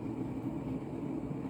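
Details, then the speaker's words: Mid-1980s Montgomery Ward Evergo 48-inch spinner ceiling fan, model 4E-3LW, heavy cast-iron Union motor, on high via original solid-state control: deep continuous train-like rumble and drone from noisy worn bearings. Fan is well balanced. "start start it up on high and you can hear how noisy those bearings are i think sounds like a train"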